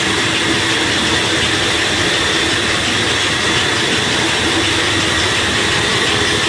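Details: Flour mill (chakki) with the feed opened and pressure applied: loud, steady hiss and rumble of stones grinding grain with slight vibration, even throughout with no knocks or surging. Normal grinding under load.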